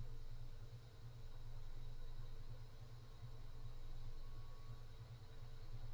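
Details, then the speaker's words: Mobius OC 120 fan at maximum speed, fan partly blowing into the microphone: constant airy whoosh with faint steady tone, no grinding or ticking; loud fan airflow noise, fairly noisy at full speed, several harmonic resonances noted. "so that's the maximum um this one is kind of noisy to be honest and it does cone out like like this it's a fairly significant cone"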